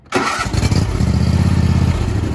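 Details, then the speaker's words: Toro TimeCutter SS5000 zero-turn riding mower with 50-inch deck (model 74730), started with the brake locked and the steering handles out: catches on the first turn and settles to a steady even low rumble, no misfire. Clean normal start. "you got to have your handles out and you should be able to start this up not sitting on as long as your brakes on we should be able to fire this up"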